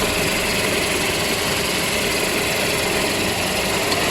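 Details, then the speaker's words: Toyota Hilux, clutch that chirped with the pedal released, after reassembly and lubrication: engine running with a steady, even idle and no chirping or squeak from the transmission or bellhousing, a normal idle with quiet clutch. "Oke teman-teman Setelah semuanya terpasang dan mesin dihidupkan tidak terdengar lagi suara jangkrik dari transmisi ini telah kita lakukan pelumatan"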